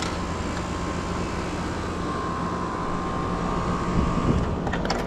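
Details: Mobile home air conditioner outdoor unit after capacitor wiring check: compressor, earlier silent with a buzz, now runs with a steady, even mid-pitched hum and low drone, no clicks or knocks; normal compressor running.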